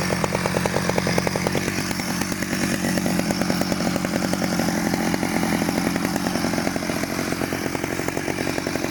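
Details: 1991 Stihl 009L chainsaw after rebuild: crisp, fast, even buzz at steady high speed, no stumbles or rattles; sounds healthy and runs clean.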